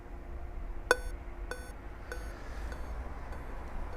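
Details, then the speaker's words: Dell Latitude 3540 laptop that won't power on, beep speaker held close to the microphone: one long beep then six short, the CPU/Vcore fault code; Vcore reference found missing. "Olha, ele dá um bip longo e mais seis curtos."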